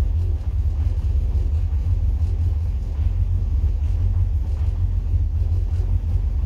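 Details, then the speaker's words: 1963 Falcon, turbo 2.3L with aftermarket throttle body, IAC motor and TPS: steady, deep, even fast idle with no stumbles, about 1500 rpm cold. The ECU adds 400 rpm over the roughly 1050 target when cold, so the idle runs high. "definitely a lot lower about 1500 rpm which i think i have a set at a 1050 and it's an idle and uh where you program it it'll run 400 rpm over uh what you want when it's cold"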